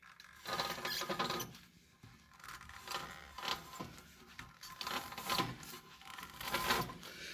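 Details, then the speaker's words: 1984 Mercedes 300SD W126, rear wheel turned by hand: gritty crunching and grinding in slow waves; noise noticed while driving; axle shafts rebuilt a couple of years ago look good, so a failed rear wheel bearing. "that sounds nasty okay i kind of hope that is a destroyed axle shaft but unfortunately i don't think it is"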